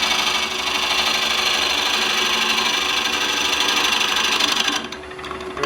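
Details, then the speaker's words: Wood lathe, turning a bowl interior with a bowl gouge that is getting a little dull; harsh cut with rapid, uneven chatter about three times a second as the tool bounces from too much bevel contact, even with the grind swept back. "But I can just feel the tool vibrating. That's telling me I have too much bevel. Even, I just brushed it off. Even with this ground back, it starts to bounce on me."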